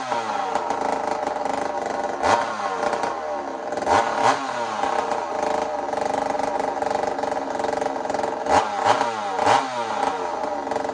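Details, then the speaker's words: Chainsaw rebuilt after a failure involving the connecting rod and a broken bolt: sharp two-stroke blipping up and down with a crisp, even crackle and no knock or rattle. It sounds healthy after the rebuild. "but hey she's running again all that work's done so let me show you what tasmanian saul sounds like right now it sounds healthy to me you tell me what you think"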